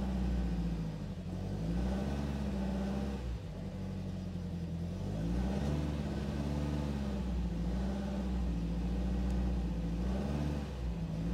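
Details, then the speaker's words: Restored 1969 Alfa Romeo GTV 1750 with 1779cc four-cylinder petrol engine: starts right up and idles smoothly and steadily when cold with slight speed drift; about 60 PSI oil pressure cold, as expected. "anyway starts right up idles smoothly"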